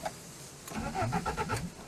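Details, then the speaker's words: BMW 316i Compact being revived, cranking on starter: short burst of quick, even engine turnover; starter cranking sounds healthy. "Impeccable. S'il y a l'action de démarreur, du coup il me suffit des bougies, d'enlever l'injection parce que on veut quand même pas niquer."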